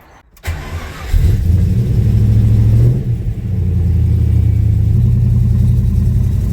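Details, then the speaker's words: Ford Capri with a freshly rebuilt V8 and redesigned clutch slave, first start and drive: it catches quickly, revs, then settles into a deep, steady idle with no knocks or misses. "The test run was almost a full success. It runs okay, it goes well."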